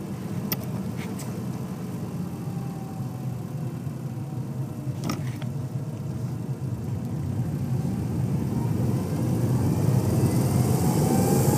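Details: 2007 Subaru WRX driving, recorded from behind the pedals: a deep drone grows louder under acceleration between 1500 and 3500 rpm, with a faint rising tone over it; cause unidentified.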